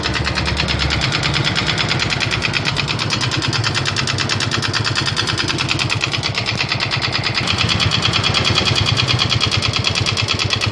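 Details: Yamaha Mio M3 scooter engine idling with a steady, rapid klotok-klotok clattering knock, roughly three beats a second.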